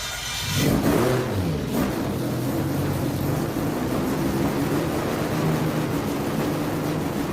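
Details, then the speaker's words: Mazda Miata with twin-turbo 12-rotor rotary swap, Haltech ECU, running on ethanol, oil pressure good, throttle tipped in: smooth buzzy rev climbs quickly to a steady high drone, no misfire or rattle; makes boost cleanly. "We have boost. Oh, yeah. No, yeah, we're good. Yeah, we're good."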